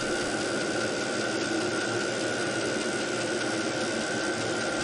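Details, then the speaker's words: New VEVOR Chinese diesel heater on a test run on a 12 V battery, giving a steady jet-like roaring hiss with a constant high tone; noisy but not too loud, normal running. "It sounds a little like a jet engine from an airplane. It's noisy, but it is not so loud, so I would say it's not too bad."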